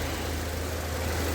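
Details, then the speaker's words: Opel Corsa D 1.4 petrol after water pump replacement (old pump was noisy, knocking at idle): even, low steady idle hum with no ticking, squeal or grinding; engine idles smoothly. "viz ayağımızı değiştik motoru saat gibi çalışıyor"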